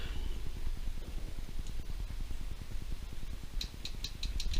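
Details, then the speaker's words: 1970s-era Datsun 280Z fuel injector, ultrasonically cleaned after sitting since 2005, fired with pulse tester: crisp, regular ticking several times a second; injector working, though less pronounced and needs more cleaning. "you can hear that but that one's working and i got this one to work as well i think yep it just doesn't sound as pronounced so i need to do some more cleaning on it"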